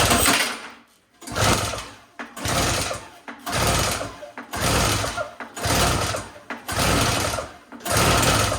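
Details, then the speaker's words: Yard Machines single-stage two-stroke snowblower (50:1 mix) with starting fluid sprayed into the carburetor: sputtering bursts about once a second, each catching briefly and dying; fires only on starting fluid. "all right good news it fires so that's encouraging"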